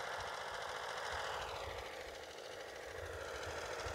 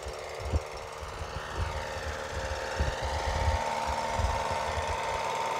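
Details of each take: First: HR 194 machine, small single-cylinder engine test run after reassembly: no vibration, but a slow, slightly uneven low thump at idle under a steady hiss. The idle is a little low and the throttle should be raised slightly. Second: Reassembled single-cylinder HR 194 machine engine, test run after rebuild: crisp, regular thumping about four beats a second settling into a smooth run, no vibration, good noise; idle decent but perhaps slightly low.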